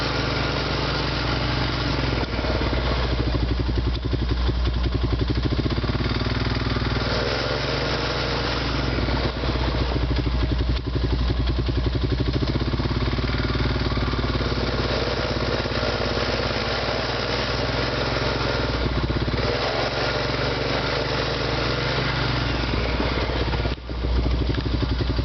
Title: Honda Rancher Grinding Sound